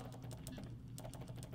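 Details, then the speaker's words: Case IH 3320 sprayer AIM Command nozzle solenoid whose plunger stuck partway from dirt, after cleaning with carburetor cleaner: quick, even clicks as the plunger moves fully in and out. Solenoid clicking normally. "put it back in and test it again see how it goes goes much smoother all in all the way"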